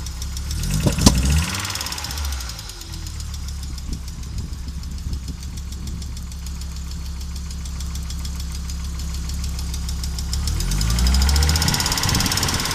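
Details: Audi Coupe after swap from NG to AAR engine, hard starting: uneven idle stumbling and knocking irregularly, revs flaring at start and end, engine dies when driving; misfire and rough idle, cause unknown.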